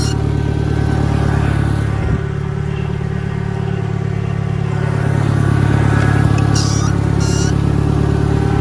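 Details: 1963 John Deere 1010 tractor, original and properly maintained, in reverse after third gear on a backyard lap; even low drone with a faint gear hum that swells slightly with speed; normal gear transmission noise.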